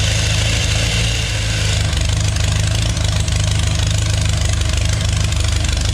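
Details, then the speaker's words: 3.0-liter GM Chevy engine with TH400 in a mini rail dragster, custom intake and exhaust, first start: smooth even idle; earlier click was alternator fan touching water pump pulley, not valve noise. "Fired right up. It appears it idles a bit too high though."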